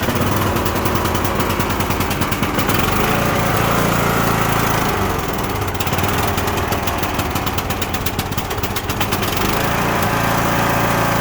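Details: Cub Cadet LTX1045 riding mower, Kohler Courage 20HP, dies off choke a month after head gasket and valve work: lumpy stumbling run with pops and crackles through the exhaust; bad orange fuel with water in the bowl, not valves.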